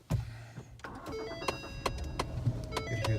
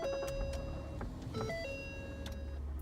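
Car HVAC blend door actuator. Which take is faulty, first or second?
first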